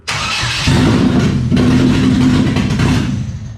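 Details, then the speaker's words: Exocet with a GM Ecotec swap (replacing a Miata engine), first start after wiring was cleaned up: short crank, then it fires right away and revs cleanly to an even, steady run. "yeah it's fire right away it starts it starts"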